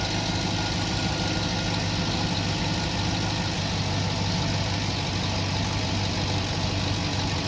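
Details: 2008 Cadillac Escalade V8 running after a no-crank fault was bypassed by jumping starter relay pins 85 and 86 (BCM not supplying ground): smooth, even idle with a steady low rumble, no knocks or misses.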